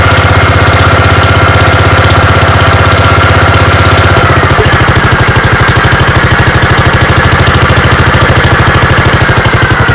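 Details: Gravely 5665 running on newly installed Chinese carburetor, mixture screws at 1.5 turns, air cleaner fitted, unloaded: steady even beat about three pulses a second, no stumbles or misses; holds speed smoothly, load test still pending.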